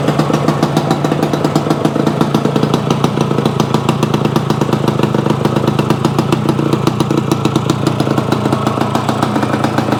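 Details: Yamaha AT-1 to CT-1 conversion two-stroke after wiring, oil pump priming and carburetor fix, choke on, premix plus oil pump: quick, even popping beat with crisp exhaust crackle at steady speed; normal idle.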